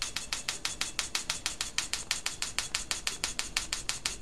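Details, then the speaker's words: Homemade jet engine igniter unit built from an old BTH igniter box with a capacitor bank, firing an igniter plug: fast, crisp snapping about three times a second with a faint squeak from the choke coil. The igniter is discharging properly. "It's actually discharging at quite a high rate. The video camera's not always picking it up."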